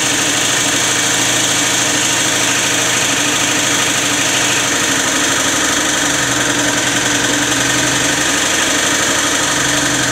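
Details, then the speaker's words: Peugeot Elyseo 50 scooter, first run after new cylinder: steady busy idle with fine metallic knocking under a shrill top end; runs but not satisfactorily, cause unclear, variator to be checked; knocking noise. "also er läuft schon mal aber noch nicht ganz so wie zu meiner zufriedenheit"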